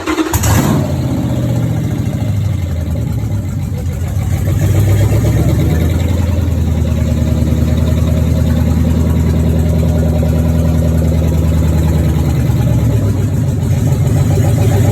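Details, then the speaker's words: Hemi V8 on a G3 Cuda swap harness and PCM, powered only by the battery with the alternator unhooked, checked after a "no run" complaint: fires right up on the first crank, shows oil pressure, holds a smooth even rumble for about fifteen seconds, then shuts off cleanly. Healthy start. "Everything should stay running and it should start right up. So, we're going to hit the lights, hit the starter button."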